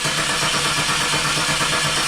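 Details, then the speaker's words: 2001 Chevrolet Camaro that stalled then wouldn't start: starter spins the engine over at a steady, even pace but it never fires; zero fuel pressure at the Schrader valve, failed fuel pump. "I just rated my fuel gauge to the Schrader valve and I did not see any any fuel coming out of the as I was telling my hose into it so and pressure is zero"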